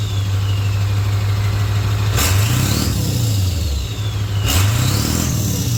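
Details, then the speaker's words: 1996 Ford F250 OBS turbo diesel with new 3" downpipe and 4" full exhaust: deep, steady rumble, two quick throttle blips rising and settling cleanly, turbo whistle audible; more bark than stock but not much louder, healthy. "I think this thing sounds pretty minty now and and it honestly it's not much louder than stock it's got more bark when you honk on it but you can really hear the turbo now"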